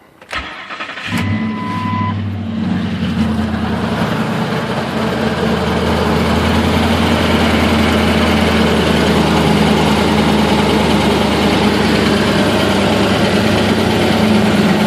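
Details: 2004 Ford F150 5.4 3V, cold start after sitting most of the day, before repair: a busy metallic rattle over the V8 idle. Suspected loose passenger-side timing chain and possibly worn cam phasers; valves or lash adjusters thought unlikely.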